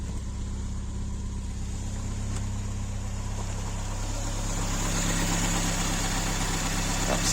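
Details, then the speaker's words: Ford Escort Mk2 barn find revival on fresh fuel, running outside and warmed up with the choke off: a steady, even low idle with a smooth beat and no knocks or misses; the earlier blow-by is gone; normal idle. "got it outside and it is idling away sweet isn't it sounds absolutely perfect all the blow-by is gone"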